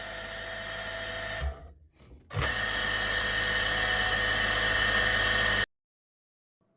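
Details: Shower pump (CTFORCE30PTS) recorded months before teardown, grew louder since: loud, steady high whine with rough buzzing underneath while running, stopping and restarting; cause not yet known.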